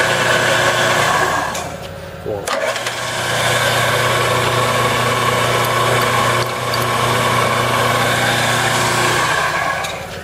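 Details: Used Enco 9" x 20" bench lathe that is missing a drive belt and has a gear that keeps falling off. A steady motor hum with a smooth gear whine holding its pitch, no knocks or grinding; the lathe runs normally under power.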